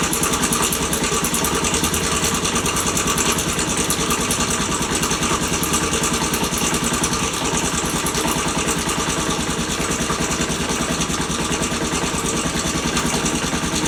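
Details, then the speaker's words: Postie bike, warmed up, after cam chain tensioner adjustment: fast, fairly regular ticking, about three per second, over a rough idle from the top end; the adjustment changed the sound and made it less bad. Top-end ticking noise. "So I might have a shot at that bottom one, because it certainly changed the sound of it. It's not as bad, is it?"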